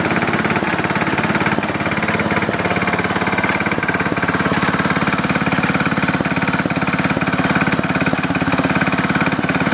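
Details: Simplicity Landlord 2010 tractor engine idling steadily after timing fix, new flywheel key and seal: regular deep knock about three per second following engine speed, possibly bottom end; owner suspects rod knock, carburetor still needs fine-tuning.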